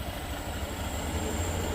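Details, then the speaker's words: Honda Beat Deluxe scooter after a new crankshaft, CVT cover closed: even low putter at a steady idle, no bottom-end knock or rattle; smoother, like new. "Nah, suaranya jadi lebih halus. Motor seperti baru lagi guys suaranya ya."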